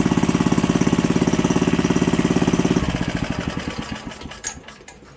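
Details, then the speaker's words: 1951 Briggs & Stratton single-cylinder barn-find engine on first run: pops along evenly at about three and a half beats a second, then winds down smoothly; no smoke when revved, healthy normal running. "But no, I'm happy with that. It's not every day you pick up a nice vintage motor and it actually works."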